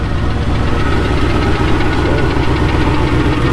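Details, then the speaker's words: Chevrolet C10 on first start after reinstalling the front engine parts: fast, busy metallic rattle over a loud, even V8 idle with exhaust heard; rattle in the engine, source still unknown, no fluid leaks. "y'all can probably hear the exhaust we it's got a rattle in the little motor yeah you can hear it better on this"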